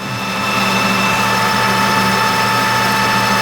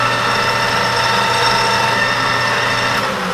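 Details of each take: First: 1988 Rutland lathe roughing 1/8-scale steam wagon axle blank with new insert tooling at about 620 rpm under heavy cut; steady high singing ring over motor hum, possibly harmonics from inside the cabinet, not showing on the part, source unconfirmed. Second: Newly reassembled 1988 Rutland lathe spun up to about 620 rpm with freshly lubed chuck jaws and oiled gears; even, steady whir with constant tone and no knocks or grinding, running smooth and healthy.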